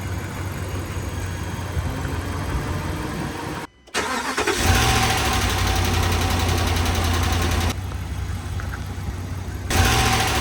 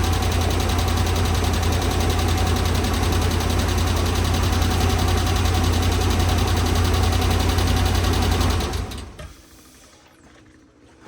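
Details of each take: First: 2013 RAM 1500 5.7 HEMI V8 idling with brief revs and no ticking or knocking after the pushrods and rocker arms were replaced. The earlier tick came from a previous owner's improper installation of the pushrods and rocker shafts. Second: 2013 RAM 1500 5.7 HEMI V8 idling with a light, steady tick about three a second, louder on the passenger side, after a previous cam and lifter repair; improperly installed pushrods and rocker shafts damaged the pushrods.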